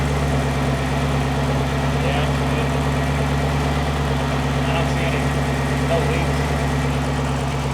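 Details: Ford GT just after its first start following fuel injector replacement: smooth, even idle with a steady low drone and no ticks or misfires. No engine lights, a healthy idle.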